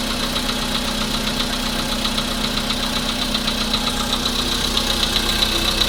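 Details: VW Polo sedan idling with a fairly regular light tapping, roughly four per second, over the engine hum; an engine knock of undetermined source.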